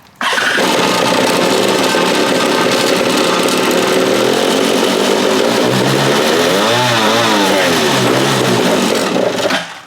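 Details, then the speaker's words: Free stand-up jet ski two-stroke on a stand, water hooked up, mix screws 1 3/8 and 1 3/4: raspy idle, climbs briefly on throttle then sags and dies; bogs and stalls on throttle, cause undetermined. "still doing what it was before, where when I give it gas, it dies."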